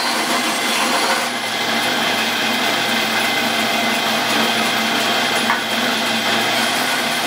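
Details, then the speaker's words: 110-year-old Crescent bandsaw after fitting a new motor mount and pulley drive: steady, even hiss of the blade through wood with no knocking or surging; much quieter than before and cutting better. "Much quieter than it was before. Cuts much better. It's like a whole new saw."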